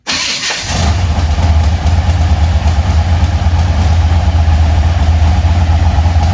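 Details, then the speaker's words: 1980 Chevy C10 with a 377 stroker, Edelbrock AVS2 carb, MSD ignition and new plugs, firing order correct: a lumpy, uneven idle as if missing a cylinder. Valve-train noise prompts a suspected solid-lifter cam. "it's just sounding like it's not hitting on all cylinders it's just sounding a little bit rough"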